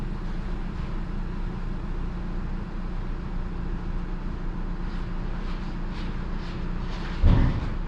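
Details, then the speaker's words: Used Genesis G80, about 70,000 km, no misfire and no fault codes on scanner, heard with engine bay open at idle: smooth, even low idle with steady beat, no ticks or knocks; judged normal engine noise. "엔진 소음을 들어보시면 이게 정상적인 엔진 소음이에요 특별하게 뭐 다른 소음이 난다 라든지 그럴 경우에는 문제가 생기지만이 차량 지금 보시는 대로 정상적인 엔진 소음이라고 보시면 좋을 것 같고요"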